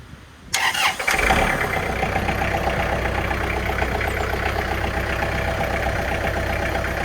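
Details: 2009 Kubota L4400E diesel tractor with front loader, started to show a lift fluid leak, also has a loose radiator fan shaft; catches almost instantly after a brief crank and settles into a steady, even idle clatter; healthy start.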